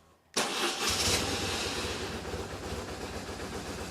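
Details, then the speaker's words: Motorcycle with about 94,000 miles, started after sitting a while: it catches, then runs with an uneven, stumbling misfire and shaking. Something was found completely broken off (part unclear). "well I fired it up to back it out of the garage and I'll show a close-up image but it started misfiring and shaking and not wanting to run very well"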